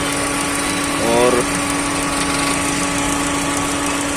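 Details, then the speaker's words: Maruti Suzuki SX4 petrol engine with low pickup and jerking: steady idle with a rough, shaky vibration as one cylinder drops out, ignition coil found shorting; engine misfire from shorted ignition coil. "चालू हो गया है और missing रहने को ऐसा ही vibration ए रहा है पूरा कोई तो भी इसका इग्निशन कोयल को तो भी शॉर्ट है"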